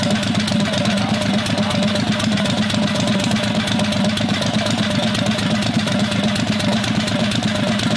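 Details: 670cc Predator V-twin go-kart after sitting months, no-start traced to a failed electric fuel cutoff solenoid (not carburetor), solenoid disabled; steady even V-twin beat at fast idle, running normally.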